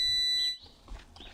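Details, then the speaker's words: Evinrude 150 XP outboard kill switch test: multimeter continuity beep on the kill switch wire to the remote control stops when the key turns on. Kill switch circuit good on both sides. "when i plug it in it's gonna start beeping when i turn the key on it should stop beeping if the kill switch circuit is good"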